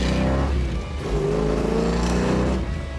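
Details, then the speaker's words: Car with a date-coded 1970 Hemi 4-speed and three carburetors (center 350 cfm, outboards 500 cfm each), driven as the secondaries open: deep, even V8 roar climbing smoothly with no knocks or misses. Normal acceleration. "Sounds good. Sounds healthy. It's the way they're supposed to."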